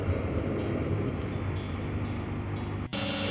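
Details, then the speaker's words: Washing machine going into spin: deep steady jet-like droning roar, the classic sound of worn drum bearings, with a loud pump also audible; quiet after bearing replacement. "Сейчас она будет выходить на отжим будет слышно как взлетает как будто самолёт такой звук стандартный звук при неисправности"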